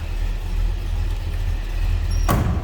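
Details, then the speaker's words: 1968 Oldsmobile 442 convertible, 455 V8 (365 hp per previous owner), Turbo 400 automatic, 33,266 on odometer, at low idle: deep, even rumble with no ticks or knocks, a mild rumble, nothing over the top; healthy. "Listen to that, 455. A little rumble to it. Nothing too crazy or over the top."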